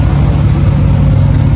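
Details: Cadillac CTS-V V8 drift car after exhaust repair and realignment to exit out the back: deep, steady V8 burble with even low rumble when revved, no rasp or ticking, normal exhaust; cabin much quieter.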